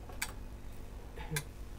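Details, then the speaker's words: Panasonic SA-BT330 home theatre Blu-ray player with F76/F61 errors: two sharp relay clicks over low hum as it keeps turning on and off, flashing F76; power supply fault persists after replacing two capacitors. "so it looks like it's still got a problem with the power it's got a power issue problem"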